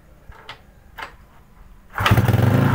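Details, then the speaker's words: Motorcycle with a problem of starting when cold but dying when hot, traced to valves; after valve clearance set to normal, it catches after a few clicks and settles into a steady, even idle with no misfire. "Ini ya teman-teman ya, setelah saya setting dengan normal ya, atas sama bawah udah normal."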